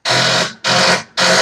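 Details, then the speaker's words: Yard Machines riding mower with PowerMore engine, no-start: three harsh half-second bursts of rapid solenoid chatter, one per key turn; battery too dead to crank (starter itself later found bad). "All right, y'all hear that fast? Tells you that's a dead battery."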